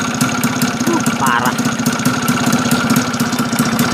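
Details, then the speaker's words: Yamaha F1ZR two-stroke that lacked power and wouldn't rev, after adjusting the reed valve (membran): steady, fairly even popping idle with no misses; smoother than before the fix. "ini sudah mendingan ya daripada tadi sebelum kita melakukan eyetingan di area membran Lumayan lumayan lebih enak ketimbang tadi"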